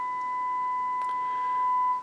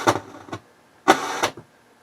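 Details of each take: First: HH Scott R 316 receiver on phono, volume cranked, fed a one-millivolt test tone after adding 470k resistors: pure steady tone, no crackle or hum, clean on both channels; phono stage working. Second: H.H. Scott R-316 receiver on phono input at high volume: loud crackling scratch and popping bursts about once a second that settle down after a while, like DC from the phono amp; dirty selector switch suspected, not confirmed.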